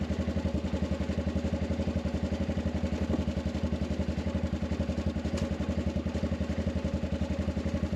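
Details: Arctic Cat 500 ATV near 0°F after no-crank (starter only clicked, weak injector prime) traced to failed 200 CCA battery at 34% health: steady even thumping idle, no misses or stumbles; cold engine now running smoothly.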